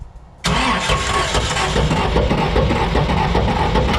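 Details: Clint's 1938 Chevy Master Deluxe drag car, highly modified 292 straight six, died: starter cranks steadily at about four pulses a second, never fires; valves on cylinders three and four not moving, suspected broken keyway or timing, possibly bent valve.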